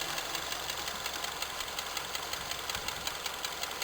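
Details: Honda K20A engine: faint, fairly regular ticking knock, roughly two to three per second at idle, riding over the engine hum; source not pinned down.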